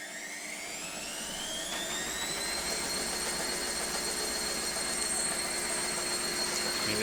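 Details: Brand new Indesit IWC6105 6 kg 1000-spin washing machine: drum spins up with a rising whine that levels off over a harsh, steady roar, plus banging when unbalanced; drum bearings were gone and the drum needed replacing.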